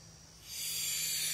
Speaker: see first off open up the propane do we can hear it coming a little bit